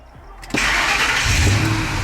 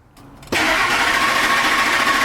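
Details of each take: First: Ford F-150 V8 after repair of lean condition, hard starting and power loss with check engine light, just after battery disconnect: brief crank, catches at once into a steady, even idle; no more long crank. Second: 2003 Ford F-150 5.4L, lost power on freeway, runs rough, check engine light, lean condition (long-term fuel trim 30): after reconnecting DPFE sensor lines, starter churns several seconds unevenly before catching; still long crank, hard starting.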